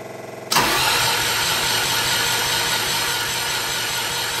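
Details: MEP802A generator cranks but won't start: steady cranking drone with no firing pulses; fuel confirmed at injection pump high-pressure output.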